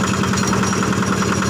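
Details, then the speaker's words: Yanmar single-cylinder diesel on a cement mixer after servicing, mixer drum turning: steady, even thump at about ten beats a second, no knocks or misses; smooth, healthy normal running. "Ya sepertinya MC ciri khas diesel Yanmar ya suaranya halus Jepang Yanmar ini sudah clear dan molornya sudah berputar"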